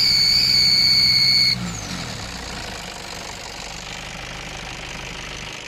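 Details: Nissan Patrol ZD30 diesel: extremely loud piercing high steady whistle when accelerating, parked or under load, cutting out as revs drop; typical of a leaking exhaust manifold.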